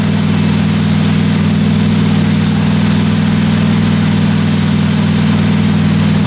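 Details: 1957 Chevy 210 idling during the roughly 20-minute cam break-in after first start: a deep, steady, even idle rumble with no tapping or ticking from the valve train; normal idle.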